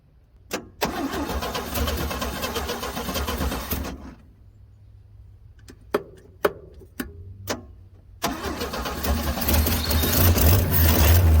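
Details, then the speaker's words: 1966 Chevrolet C10, long-parked, jumped from a jump box: starter cranks in two long even bursts with clicks between but never runs; no fuel being drawn, owner suspects the fuel pump is shot. "all righty so we're obviously not poking up any fuel so i'm saying that this fuel pump's probably shot"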